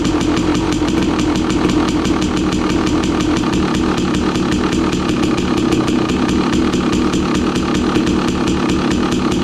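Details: 2016 KTM 300 XCW, cold, choke off, after installing new starter on charged Tusk lithium battery: quick, even cranking about five pulses a second, no dragging; strong starter, engine catches cleanly, turns over faster than before.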